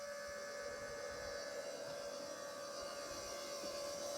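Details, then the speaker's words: FASS 250 gallon-per-hour electric lift pump newly installed on a 12-valve Cummins in a Cadillac on a square-body Chevrolet frame: quiet steady whine at one fixed pitch, no surging or rattle; pump running normally. "The pump sounds really nice and quiet. That's as quiet as a 250 gallon per hour fast is going to be."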